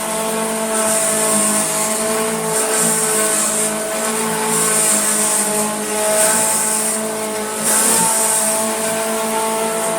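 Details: Hoover Junior Dirtsearcher 1354A vacuum as received, cleaning carpet: steady high motor whine with coarse throb about every two seconds and harsh vibration; checked and found to be the motor, not the brush roll, cause unclear.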